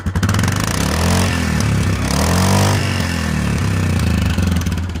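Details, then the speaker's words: Yamaha Grizzly 450 ATV, 6100 miles, single-cylinder, valves found far out of adjustment and adjusted: thumping exhaust beat and revs with a light mechanical clatter; otherwise normal running. "there you go sounds quite gnarly to be fair I'll start it up and you can hear it I hope it starts knows what have to say man there you go give it a bit of gas"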